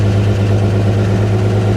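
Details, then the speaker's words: Abandoned 1955 GMC truck with 350 Hydra-Matic, running after 30+ years, started on a booster pack: catches straight away and settles into a smooth, steady low idle with an even beat and no knocks or misses. "i want to show you guys how quickly and easily she fires up there we go all right flick the key right here fires right up"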